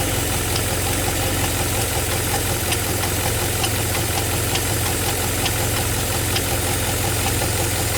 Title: G8 ticking noise